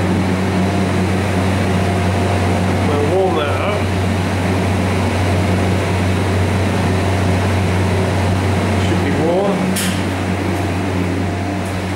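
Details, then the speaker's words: Refrigeration compressor after a leaking liquid line was brazed, then freed from seizing with Supco 88 oil mix: a steady low mains hum with fan noise, no clicking or stalling. Compressor starts, stops and runs normally. "that sounds like that's running yeah that's running so started and stopped okay"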